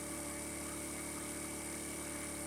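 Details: Refurbished 50cc Chinese scooter with 13 miles, held at steady raised revs after draining water-contaminated fuel from tank and fixed-jet carb and a new spark plug, charging 13.8V without overcharging: even, steady drone with no knocking or misses; normal running.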